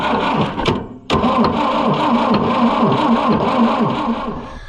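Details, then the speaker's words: Oliver 550 diesel tractor: steady cranking with a brief catch but never fires; no fuel reaches the injection line because the injection pump is gummed up and stuck. "Then Boy, it acts like it wants to go. So close, but yet so far."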